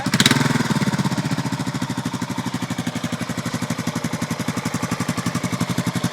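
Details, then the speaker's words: Suzuki 650 single-cylinder motorcycle, listed as a 1998 Savage 650; said to run well. Right after start-up it holds an even, steady thumping idle with no misses or knocks, sounding healthy. "Runs pretty well. You want to see it? Yep. Okay. I'll turn it on. Starts right up."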